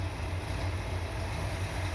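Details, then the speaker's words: Corvette V8 at operating temperature after timing adjustment: steady, even low burble idle with no miss, sounds better and responds better; normal idle. "She sounds much better. Seems to respond better."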